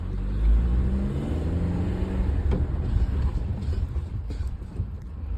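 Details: Car driving normally: only a smooth low road rumble with no scraping or grinding, sounding quiet and healthy.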